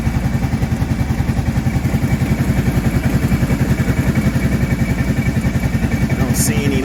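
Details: Kawasaki Prairie 650 quad ('02 or '03), second build just reassembled and filled with coolant, freshly started and warming up at idle: steady single-cylinder beat with no rattle or clicking heard earlier; normal idle.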